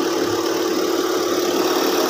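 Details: Car engine idling steadily and evenly after a new alternator was fitted; it had gone weak-battery mid-drive with no battery warning light, and the battery light now goes out on start. Smooth settled idle, no knocks, misses or surges; normal.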